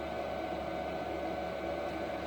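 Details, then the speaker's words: Replacement diesel heater, which had worked first time out of the box with no smoking; even steady fan rush with soft whir, no surging, knocking or pulsing; normal running. "it came out of the box on the bench plugged in fueling and it run and it worked as it should nor smoking nor nothing it just worked the first time"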